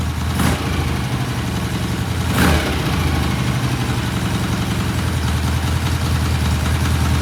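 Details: 1968 BSA twin motorcycle, cold start after new rear shocks were fitted: steady, even thump ticking over after a couple of throttle blips, settling cleanly with no knocks or misfires; healthy idle.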